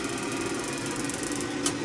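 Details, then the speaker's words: Field Controls CK41F power vent control on a gas boiler, after replacing the post-purge timer: on a call for heat the damper opens and, after a delay, the vent fan runs with a steady, even whir and mild hum, normal. "here it is there's a power fan turning"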